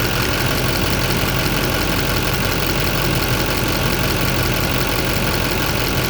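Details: 2007 Chevy Silverado LBZ Duramax diesel, just after heater hose replacement: steady, even idle with a smooth rumble and no misses, knocks or hiss; the hose no longer leaks, and the brief steam is from the earlier leak.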